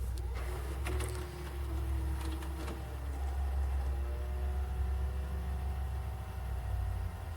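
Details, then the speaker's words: Used VCR during tape playback test: thin, wavering squeal over motor hum, then settles into steady high tones; owner suspects a weak, slipping drive belt. "nope this thing still is having a little bit of issues there it goes it's playing but it's definitely got like a weak belt or something"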